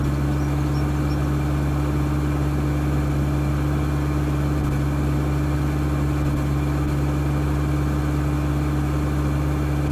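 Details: Mitsubishi 4D56 diesel at idle with steady, heavy clatter and an uneven, shaky beat underneath, a rough idle accompanied by excess smoke.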